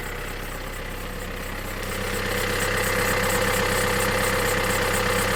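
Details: Opel Insignia 2.0 CDTI diesel at idle: a steady, fast ticking rattle rides over the clatter, growing slightly louder midway; unidentified engine noise, cause unknown.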